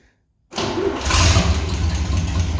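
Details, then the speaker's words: Truck with a 304/305 V6 that has never had an exhaust fitted, exhaust ending right at the engine; before exhaust install, it fires instantly into a loud, raw, unmuffled roar with sharp crackle. "which is long as this truck has been in the family it's never had exhaust on it ever it ends right at the engine so now it's going to be a hot rod exhaust"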